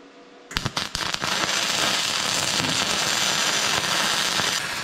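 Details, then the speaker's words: Vevor MIG-250 running gasless flux-core wire: a few starting pops, then the arc settles into a fast, even frying crackle with no loud bursts; settings right, clean weld with no spatter lumps, some yellow dust. "Nüüd on hea... klimpe pole ollagi... sellega on vist gaasita traadikeevitus klaar"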